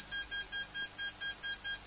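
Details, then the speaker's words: Tarot ZYX flybarless controller powered through the ESC on channel one, before binding a DSMX satellite receiver with DX8/DX6i: Tarot shows three lights and ESC gives steady high beeps, about four per second, warning it has no valid receiver signal. "we're going to power up the ESC you got three lights here that's my ESC complaining that there's something wrong"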